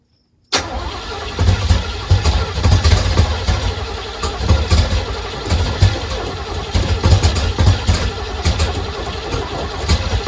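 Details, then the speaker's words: 1980 Pontiac Grand Le Mans small block, carbureted: catches after cranking and rumbles unevenly with occasional sharp pops, likely backfire; timing or firing order suspected off, accelerator pump not working, fuel not reaching carb. "Is that a backfire? Let's try Let's try it. it. Let's try it. Let's see how much we got. The accelerator pump is not working. Fuel is not actually getting into that carb."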